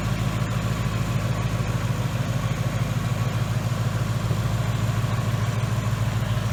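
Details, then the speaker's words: 2018 Ford Mustang GT running after a new engine install with a Mishimoto radiator: deep, even V8 burble at a steady warm idle with regular pulses and no ticks, knocks or misfires; normal warm idle. "but she sounds really good I am very very happy with this install alright guys the cost running it sounds awesome"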